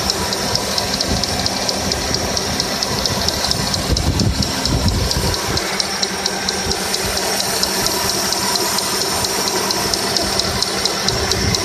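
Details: 2002 Toyota Corolla petrol engine idling with a steady knock, about two a second, over a hissy running noise; knock started suddenly today, not noticed earlier.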